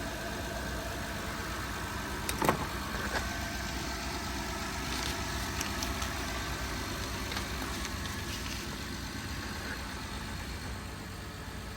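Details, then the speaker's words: 2012 Honda Odyssey V6 after replacing two rocker arm oil pressure switches for code P3400: quiet, even idle with a steady low hum and no misses, ticks or knocks; runs smoothly now. "see now it's run smooth if you have this issue first of all change the oil"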